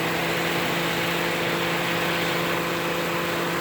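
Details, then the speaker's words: Toyota Matrix engine running with the AC compressor humming smoothly, with no rattle, knock or grind, after 4 oz of PAG 46 oil was added. The earlier noise was due to low oil; the AC now runs normally and ice-cold. "yeah he's gonna oil we're now in the AC compressors has has no noise at all just because it's loaded on oil"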